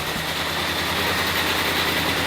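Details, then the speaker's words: Supercharged Mini Cooper S, first start after a coolant refill and three years off the road: very lumpy, uneven idle with a faint stumble and hissy top end, engine light on; owner suspects something left unplugged. Cause unconfirmed. "very lumpy. Yeah, we're running very lumpy. And we've got an engine light on."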